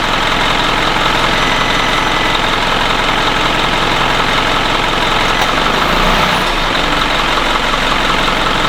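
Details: 2011 Isuzu NQR diesel truck with a DEF failure complaint, warmed up and idling parked during a forced DPF regeneration started with a scan tool; steady, even idle at constant pitch with no misses, knocks or hunting; engine sounds healthy.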